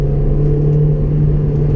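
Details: Honda S2000 on a warmed-up test drive, cruising in third gear around 4,500 rpm under light load; a smooth, steady four-cylinder drone with no knocks or misses, healthy engine.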